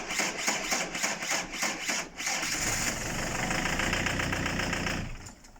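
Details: Peugeot camper van that starts then cuts off after about 10 seconds since a pothole incident: uneven cranking catches, runs a few seconds, then dies; mechanic suspects the glow plug relay, not confirmed.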